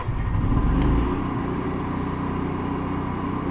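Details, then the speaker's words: 2014 Coachmen RV generator started from the interior control panel after priming (prime also heats the carburetor): catches with a brief surge, then steady even drone, no knocks or misses; running normally. "that generator's fired up, as you can hear it now, you can go ahead and hit the stop button simply by just pressing stop, just like that."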